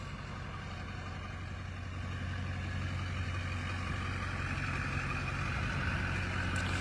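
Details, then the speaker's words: Airport limo after front clip paint, running outside after earlier start-then-stall issue: deep, steady idle rising slightly, no ticking, knocking or stumbling; normal idle, running like a top. "Running like a top."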